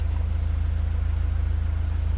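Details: Renault Megane 2 heater blower fan that had stopped working: steady, even low hum with a quick, regular flutter and no rubbing or grinding, normal operation.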